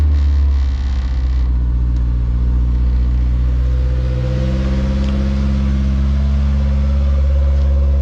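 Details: 1985 Toyota Corolla GT-S AE86 with a Honda S2000 F20C swap being prepared for California smog, in neutral after fuel leaks were fixed: the engine catches and settles into a steady, even idle with a smooth deep hum and no misses; check engine light on.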